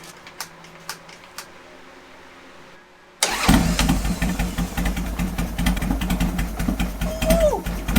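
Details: 2003 Harley-Davidson Sportster 1250 V-twin, first start after a top-end rebuild with new pistons and cylinders for piston slap: after a pause it fires and settles into a lumpy, even idle. No slapping knock; it runs normally.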